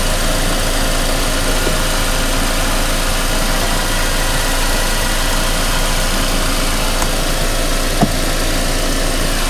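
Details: Mercedes-Benz E250 CGI W212 M271 petrol engine cold, after cold-start stall with pending ignition coil codes P2301/P2304/P2307/P2310 despite four new coils: uneven idle with loping beat about three times a second.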